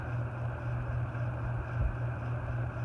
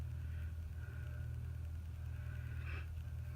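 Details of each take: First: Antique General Electric ceiling fan at full power: steady low drone without knocking; resonance hum, owner thinks it is carried through the canopy and needs adjusting. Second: Antique General Electric ceiling fan, newly hung from an antique hook, running on the low setting of a variable-speed control: a low, steady hum with a soft, even whoosh and no ticks, rubbing or wobble. It is running smoothly.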